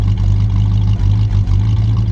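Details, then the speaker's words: 1957 Chevy Bel Air V8 after rebuild, idling: deep lumpy idle with an occasional dropped beat about every half second, a miss on one bank; owner suspects spark plug, arcing, or a plug wire left off or not fully seated. "yeah it's hiccuping on this side I'll need to check into that could be spark plug related could be arcing did we leave off a uh a plug wire maybe not all the way on"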